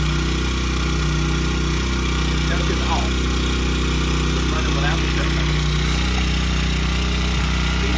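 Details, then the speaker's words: Honda CRF100F kids' dirt bike during restoration, choke off after starting: steady, even, fast drone holding well above normal idle, running better than before; high idle before being turned down. "Okay so we've got a very hot idle it's running better than it was hurray"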